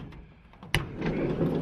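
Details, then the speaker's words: VW T4 Transporter side sliding door after fitting new roller brackets: sharp clunk, then coarse rumbling roll as the door travels; worn middle roller still noisy, to be replaced next. "but you can hear that middle one, it's still noisy, so I'll do the middle one next."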